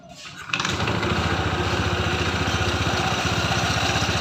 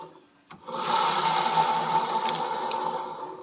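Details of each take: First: Honda ADV 160 scooter at 5,000 km with a growling CVT, after replacing the CVT bearing and before refitting the cover: fires and settles into an even, steady beat; the drive now sounds smooth. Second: Honda ADV 160 scooter at 5,000 km: rough, gritty growl (ngorok) with uneven churn as the CVT pulley spins up, from a worn pulley needle bearing; replacing only that bearing made it smooth again.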